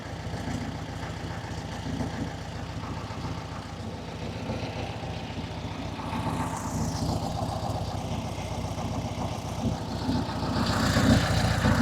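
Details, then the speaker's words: 1967 Volkswagen Beetle air-cooled flat-four, barn find off the road 46 years, with electronic ignition, oil cooler seals replaced, timing about 5–7 degrees advance, not yet tuned: smooth, even low putter at steady idle with no misses. Normal idle. "So, but as you can hear and see, it's uh it's running. I don't know if I call it a Swiss watch, but it's um it's running like a European watch."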